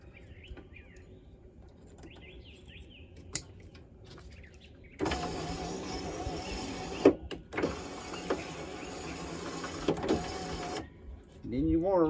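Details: 2006 Nissan Frontier driver door power window, window binding and needing help up: motor runs about six seconds with rough, gritty grinding the whole travel; regulator cable jumping its track.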